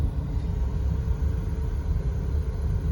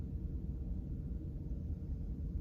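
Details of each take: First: VW T5 Transporter heater blower fan after silicone-greasing, running: deep whooshing rumble with thin tone briefly wavering into a squeak, less than before; needs time to bed in. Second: VW T5 heater blower fan on speed 1 after removing and greasing it: only a soft, even low hum with no squeak or chatter; it runs quietly.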